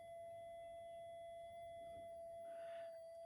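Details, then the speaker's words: Minelab GPX 5000 metal detector under repair for loss of depth, front end disconnected, input wires touched: a steady, clean single tone with no warbling or stray chirps; no signal is leaking in on this channel, so it is working correctly. "and there's no signal getting in on that one now so it's actually working"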